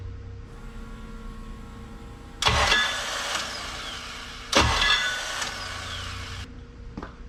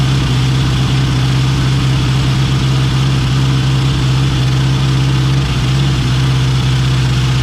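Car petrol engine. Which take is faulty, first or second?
first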